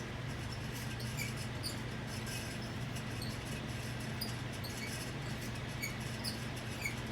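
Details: Leading Edge 48-inch commercial ceiling fan, model 4820-1, from about the mid-1990s, at full speed (speed 5): a steady low motor hum with faint irregular high chirps; suspected dry bearings whose grease has been degraded by motor heat.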